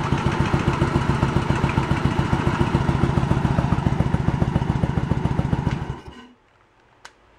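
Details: 1986 Yamaha Virago 1100 V-twin, sat six to seven years with fuel in it, started without choke: slow, lumpy thump about three and a half per second, then stalls; front cylinder dead.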